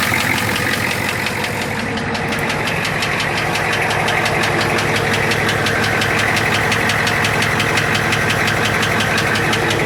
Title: Engine knocking 6.9idi